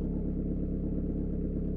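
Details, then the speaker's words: Peugeot/Citroën 1.9 D diesel, after valve clearance adjustment: even, low idle with steady soft clatter and no top-end tapping; the tappets had been tight with no gap to the camshaft lobes, causing hard starts and smoke, and the problem is now solved. "mais c'est le problème est résolu il avait des des poussoirs bien serrés il n'y avait aucun aucun vide"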